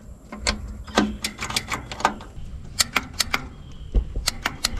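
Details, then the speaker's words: John Deere 755 turbo diesel track loader sat over 20 years, temporary switch wiring: sharp irregular dry clicks with no starter turning; solenoid clicking without cranking, shares power with intake heater, starter Bendix suspected. "so it looks like our solenoid is clicking so this is actually for this uh intake heater right here"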